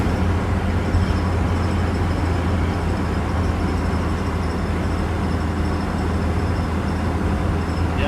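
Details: Mitsubishi Mighty Max after front wheel bearing replacement, driving about 40–50 mph: steady road and tire drone with no grinding or growl; bearing previously ground, now quiet and healthy.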